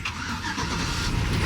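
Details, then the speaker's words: Truck just bought at auction, low on oil, started for the second time: starter drags slow as if the battery is weak before the engine catches and runs rough; owner also notes a squeal, suspects a bad bearing. "oh man it sounded like it wanted to kill the battery already but we're good truck is running"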